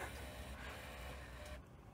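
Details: Panasonic NV-V8000 VHS recorder after timing deck and front-loading carriage: smooth mechanical whirring of the loading gear for about a second and a half, stopping cleanly; cassette loads normally. Normal cassette loading.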